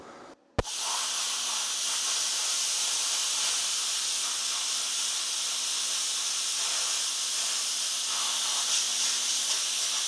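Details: YesWelder FIRSTESS MP200 5-in-1 in plasma mode at 30 amps on compressed air, cutting 1/8-inch steel straight across, partly through old weld beads: a sharp pop at arc start, then a steady, even high airy hiss; normal plasma cutting.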